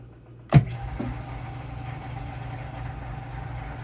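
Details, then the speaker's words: Shop air compressor, newer unit replacing a 37-year-old one, heard from another room: thump as it kicks on, then low steady hum; pumping normally. "all right so he's pumping there now and uh we'll go back into the room and see how it is"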